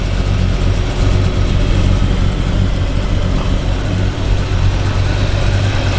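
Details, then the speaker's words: Budget-build Camaro small block with new aluminum heads, new cam and about 9.5:1 compression, after cam break-in at 3,000 rpm: deep, choppy V8 idle with a steady lumpy lope and no knocks; healthy big-cam running. "dude. I am super happy about that. We got a choppy Camaro now. This thing sounds awesome."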